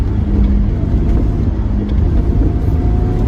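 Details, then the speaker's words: Fiat 131 Abarth on a road drive, on and off power: faint steady whine over road rumble from the rear differential; diff is a little whiny, worn or poorly set-up diff suspected, not confirmed. "So the diff's a little bit whiny."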